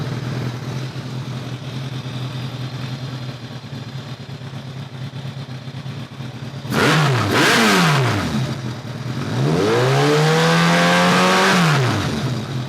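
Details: 2002 Kawasaki ZRX1200R four-cylinder with Keihin CVK carbs, after carb work with one carb's vacuum problem plugged off: steady low idle, then two clean revs that climb and fall back smoothly with no stumble, running even and crisp. One side still slightly light on sync; some decel popping may remain.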